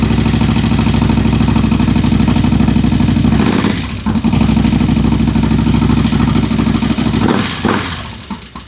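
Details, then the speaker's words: Harley-Davidson Road King, first fire-up after conversion from Magneti Marelli EFI to a CV40 carburetor, cold and on choke in neutral: sharp regular ticking over a loping V-twin idle, suspected stuck lifter, may need lifter replacement. "We've got a stuck lifter, it sounds like. But, it runs."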